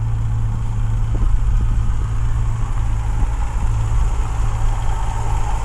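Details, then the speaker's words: Dodge Charger R/T, cracked engine block repaired with JB Weld, checked under hood: deep, steady idle rumble, even and smooth, no ticking, knocking or misfire, AC compressor kicking on and off; dead quiet healthy engine. "I mean, if you listen to that engine, it is dead quiet. You can hear the AC compressor kicking on and off. But other than that, there is no noise, no nothing in this engine whatsoever."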